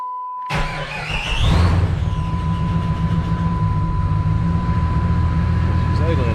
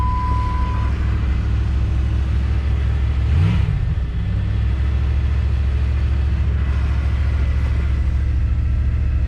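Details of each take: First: Jeep Grand Cherokee ZJ, sat for months, battery weak after charging, restart after window repair: engine catches, briefly flares, then settles into steady, even idle over constant door chime; running normally. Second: 1997 Jeep Grand Cherokee ZJ, sat for months; started cold after a battery charge. A low idle rumble with an uneven, loping beat. Rough idle; cause suspected, not confirmed.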